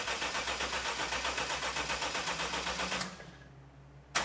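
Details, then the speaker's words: Lexus track car after gasket reinstall and fresh oil change, primed and fired: engine catches and settles into a steady, even pulse for about three seconds before shutting off, no knocks or misses: engine start and idle. "i need to make sure this thing runs and sounds okay at least running wise since all of this so i'm gonna set you guys down prime this thing since i just did an oil change and we're gonna fire this thing up"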